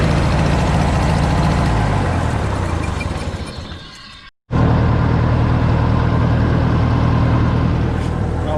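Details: Cub Cadet Low Boy 154 tractor after spark plug change: uneven stumbling beat, slows and stalls, then restarts into steady run.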